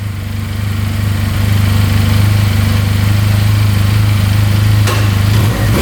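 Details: 2022 Benelli 302S motorcycle after a simple fix, idling at 1700 rpm after instant start; clean, even single-note engine pulling up without knocks or rattles, top and bottom end sound good.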